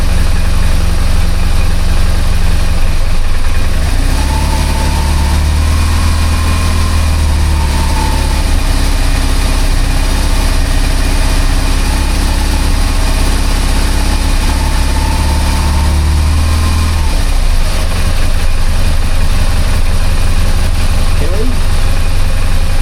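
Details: BMW R1200GS boxer twin, throttle bodies not yet synchronized: lumpy, uneven low thumping rough idle with shaking; the bike had not been synchronized for a long time.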